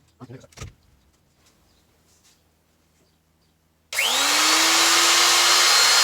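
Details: Elu router after bearing replacement: after a quiet pause the motor spins up to a steady, clean high whine with no rumble or rattle; new bearing sounds healthy.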